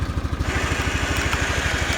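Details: Kawasaki Bayou 400 ATV idling in neutral, old fuel with conditioner, possible water pump leak, burning no oil: steady, even single-cylinder putter, no knocks; slight vibration comes from the rear rack, not the engine.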